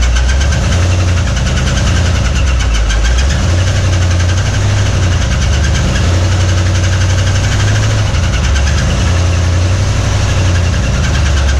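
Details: 1961 Mercury Meteor first start in decades after new parts: heavy idle with pulsing low rumble and faint rapid tapping following engine speed; oil pressure light stays on, no oil pressure, bearing knock.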